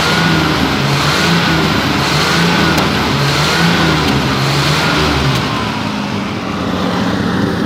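Engine picks up cleanly through several blips and settles back to an even idle, with no knock or misfire heard.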